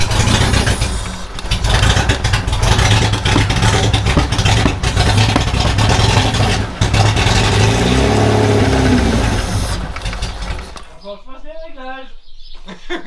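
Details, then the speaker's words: 316 turbo, first start after two weekends of work, battery connected: rough uneven cranking and revving settles as the engine catches and runs on its own; it starts, still unsettled and needing tuning. "Bah les couilles, elle démarre!"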